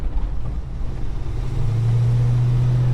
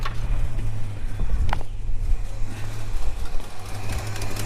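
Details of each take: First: Holden HK V8 on the road after fitting a second-hand exhaust manifold gasket: deep even drone building smoothly under throttle with no puffing or ticking from the manifold; much quieter and healthy. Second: Holden HK petrol engine idling smoothly with a fast, light ticking puff on top from an exhaust manifold leak, before that leak was fixed.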